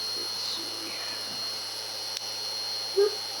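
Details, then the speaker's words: Restored U.S. Army DM-36-D dynamotor, cleaned with sandpaper and alcohol, running on 28 V: quiet, steady high whine with faint hum, no grinding or rattles; normal running. "And as you can hear, the dynamotor is pretty quiet, even running on 28 volts. It's not overdriving it or anything."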